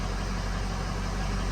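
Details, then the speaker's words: 2005 Ford F350 6.0 diesel, just restarted after oil cooler replacement and coolant system flush: low, steady, even idle clatter with no knocks or misses. Oil pressure came up; normal idle. "see the oil pressure came up right when it cut off let stay running this time well there it is"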